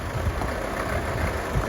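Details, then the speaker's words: Nissan Navara pickup at idle, microphone close to the alternator: muffled rumble with an uneven rattling roughness from a noisy worn alternator bearing; alternator being replaced. "don't know while you can hear me alternator rattle I'll try and get me stethoscope onto the onto the"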